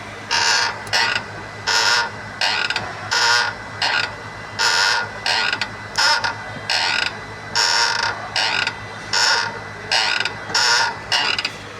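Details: Renault Kwid clutch: sharp, dry creaking in bursts, roughly forty a minute, each time the clutch is worked. Clutch wear or the release bearing is suspected, unconfirmed.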